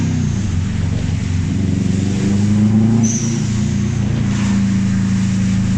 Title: Japspeed shotgun weird noise